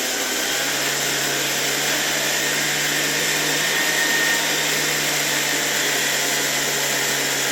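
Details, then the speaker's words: Soviet 1981 "Rakieta" 7M2 vacuum cleaner, MD-010 motor, cleaned: steady, even high-pitched roar with a constant hum underneath and no knocks or rattles; normal run, owner unsure whether bearings or a spring make slight noise. "I have the impression that this motor really runs quite smoothly. I don't know if I can hear the bearings here, or is it that spring that makes noise? But generally it works quite smoothly."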